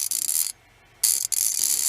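Quick crisp even clicks in short bursts as the handle swings back; the pawls are catching cleanly, a healthy ratchet.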